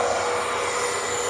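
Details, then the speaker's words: Pool pump on temporary replacement capacitor, filter breather open bleeding air: steady high-pitched motor whine with rushing water and faint gurgle as air clears; pumping properly. "it's pumping properly the way it's supposed to be and after it bleeds all the air out then i'm just going to close this valve you know"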